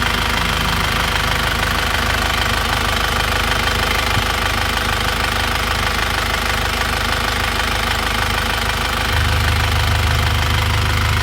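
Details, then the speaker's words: 2001 Isuzu Panther diesel after piston and piston ring replacement (liners reconditioned) to cure blow-by and engine noise: steady, even idle clatter with no heavy knock, rising slightly near the end; now smooth, normal diesel idle. "sehingga itu setirnya kita ganti biar suaranya halus sekarang kita lihat rasanya seperti apa kita lihat hasilnya ini ternyata hasilnya seperti ini"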